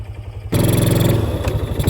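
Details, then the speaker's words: Old four-wheeler that sat neglected for years and only needed fresh gas, driven after restart. Quiet, then the engine picks up to a steady, even beat under load with no misses or rattles; it pulls cleanly, drives very well and shifts well. "Not only is she driving, she's driving very well."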